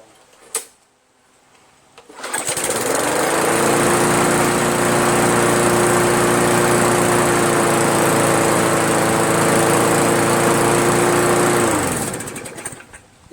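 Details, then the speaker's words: Craftsman push mower, Briggs 158cc, cleaned carburetor and fabricated throttle governor spring: spools up to a high steady buzz and holds it, revving too high; owner blames the overly strong replacement spring, rebending it. "but as you also saw its revving really too high I told you that tension spring is just too strong"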